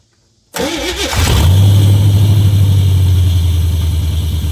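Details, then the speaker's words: 1971 Camaro Z/28 barn find. Brief cranking, then it starts right up with a little gas into a steady, deep, even idle: a normal start. "We'll get her fired up, let it run for a little bit, and starts right up."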